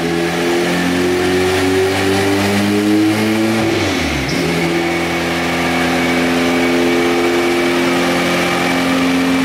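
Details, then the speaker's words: Purple turbo Honda Civic on dyno, run on wastegate pressure after thermostat replacement: engine revs hard to 8700 rpm, pitch climbing smoothly with no miss or knock, then back to even idle; healthy pull making 350 wheel. "three-fifty wheel on wastegate guys 8700 RPM"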